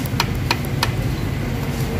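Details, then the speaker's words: Ford Ranger 3.2 diesel before overhaul, idling: sharp metallic knock about three times a second over a steady idle; loud piston pin knock, worst on cylinders 4 and 5, with damaged piston pin. "Yun ang problema. Number 4, number 5, ang grabe ang mas malakas ang 4 tsaka 5."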